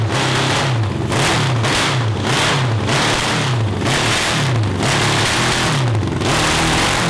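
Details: CB750 750cc cross kart engine swapped to dual 34mm Mikuni carburetors on PVC intake manifolds: blips up and settles to steady idle about every three-quarter second, clean idle but ragged blips; earlier breakup above 7,000 RPM under load, now perhaps its best running.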